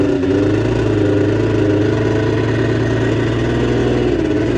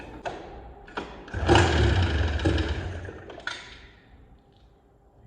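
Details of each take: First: Arctic Cat JAG 3000 two-stroke snowmobile after repairs, started on choke before a test ride: steady, even burble with smooth unbroken tone, no misses or knocks, idling cleanly. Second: Arctic Cat Jag 3000 two-stroke snowmobile, long abandoned, carb primed by squeeze bottle, throttle cable not yet hooked up: two recoil pulls, several seconds of thudding cranking with no catch; owner thinks it sounded dry, then suspects flooding.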